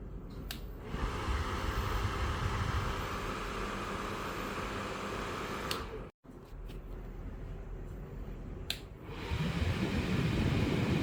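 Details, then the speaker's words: Ryobi ONE+ 18V Whisper Series 7-1/2 in. cordless fan, motor shaft lubricated after a grinding complaint; a smooth, steady whoosh of air with a soft, even hum and no grinding. WD-40 quieted it only briefly, and the lasting fix was 3-in-One oil. "And then um the noise is gone. No more. It's good as new."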